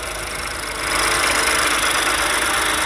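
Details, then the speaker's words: Freshly rebuilt 2017 Ford 1.5L EcoBoost turbo GDI engine with new injector seals and plugs, engine cover off: busy, fast ticking clatter over a steady idle. Normal high-pressure fuel pump and valvetrain noise. "i mean i just got done building this motor and you can hear this is normal the high pressure pump the clatter and stuff coming from the valve train so completely normal"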